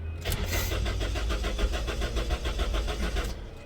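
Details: Honda towed in with no start and no spark: starter spins the engine at about three and a half beats a second for three seconds, never fires; cranks, no start, cause suspected, not confirmed.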